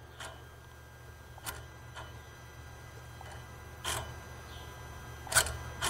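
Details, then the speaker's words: Dodge Sprinter that can't exceed 40 mph, with dash lights on and power loss. Turbo actuator lever cycled by scan tool gives faint, uneven clicks and light clacks and moves freely. Actuator wiring good, turbo vanes not stuck. Normal turbo actuator operation. "So the lever on the actuator is moving. So this is good. This tells me that the wiring of the actuator is good."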